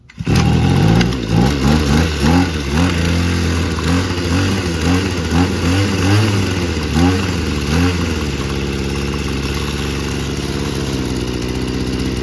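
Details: Free two-stroke weed eater with a busted primer bulb, run on fuel fed in directly: it catches right away, is blipped through about a dozen quick revs, then settles to a steady buzzing idle, running fine.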